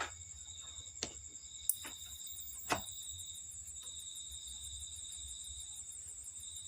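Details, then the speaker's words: Polytron TV with slim flyback BSC 25-0223N: powers on, indicator lit, but won't leave standby; steady high-pitched squeal/beep with clicks, B+ voltage dropping due to a shorted flyback, fixed by replacing it with JF0501-19587. "Power menyala lur, dan ada bunyi berderit, dan TV pun juga tidak bisa menyala."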